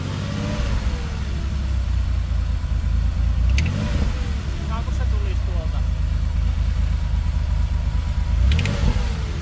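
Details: Porsche 930 3.3 L engine running: deep throbbing with a faint uneven clatter on top, a weird engine sound whose cause is not evident.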